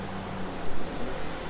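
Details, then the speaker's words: Frigidaire 5000 BTU mechanical-control window A/C on a Sportsman 1000-watt inverter generator: low hum swells as compressor kicks in on cool, settles to steady drone around 330 volt-amps; normal compressor start. "there we go i heard it kind of hovering around 330 volt amps right now"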